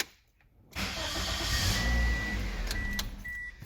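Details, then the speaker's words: 2008 Toyota Corolla with a no-start despite fuel and spark, cranking demonstration: brisk, even starter cranking at about three to four turns per second; normal speed, slower would mean weak battery or something resisting engine rotation. "you hear it it nearly does like three to four turns within a second and it's gonna start or whatever when it starts"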